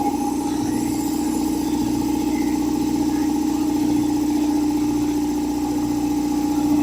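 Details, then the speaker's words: Old belt-driven air compressor revived after sitting, oil at max, first test run: steady even pump beat under smooth motor hum, no knocking, rattling or squeal while building pressure; quieter than a Harbor Freight unit, belt possibly slightly loose; normal running. "It's actually a lot quieter than the other one we have, that one from Harbor Freight. And it's building pressure. That's good."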